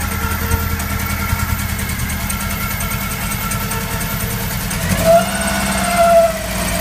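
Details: VW Golf 1: uneven, lumpy idle with irregular beat, rising on blips; head gasket blown between two cylinders.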